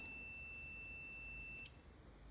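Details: Multimeter continuity test on a reassembled, cleaned computer mouse left-click micro-switch, about 0.1–0.4 ohms closed, checking the switch click lines up with the beep; clean steady high beep for about 1.5 seconds, then cuts off.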